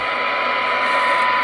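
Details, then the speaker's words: 1963 E.F. Johnson Messenger 1 white-face tube CB under repair, receiving a 27.065 MHz test signal at about half a microvolt with 50% modulation: steady audio tone over light hiss, clean and unwavering; receiver working properly. "so as you can hear it what do they got modulation-wise oh there there's there's 50 modulation at half a micro ball that's pretty good for these guys"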